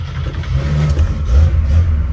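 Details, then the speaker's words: 1965 Oldsmobile Cutlass, still warm from an afternoon drive, started after several throttle pumps, a little slow to catch: deep, even rumble swelling smoothly as revved just after starting, no knocks or misses; normal start and revving. "that took a little longer than I wanted it to on video, but it always starts."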